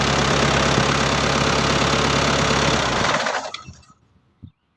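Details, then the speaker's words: Mitsubishi L200 4D56 diesel after repair for hard starting when hot and no-start when cold: starts, steady even diesel clatter at a settled idle with no misses, then switched off about three seconds in. "তো দেখলেন গাড়ি start হইতেছে। এটা হলো 4056 engine, diesel"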